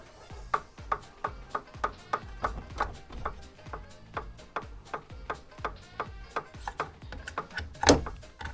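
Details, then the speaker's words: Elite bicycle trainer with drive, unknown noise while spinning: sharp, evenly spaced knocks about three times a second, like a loose nut rattling in the drive; unit full of dust and excess paraffin, to be disassembled and cleaned. "звук что-то постукивает сейчас буду разбирать попутно чистить мыть от пыли и от парафина излишек парафина"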